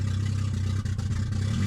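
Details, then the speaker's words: Cold petrol engine on startup after a misfire fix and four new plugged-in parts idles low, rough and uneven, bogging and needing revs every few seconds; a stored cold start idle system code is being diagnosed; a rear main leak is also suspected. "So, what you're going to notice here is I have a very rough startup as you can hear."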